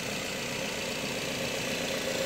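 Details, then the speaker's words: Used Nissan X-Trail T31, start-up check after confirming no oil leaks: quiet, steady, even idle hum with no ticking, knocking or odd noises; engine judged healthy. "Apakah ada suara-suara yang aneh yang keluar dari mesin ya Ini nah seperti ini"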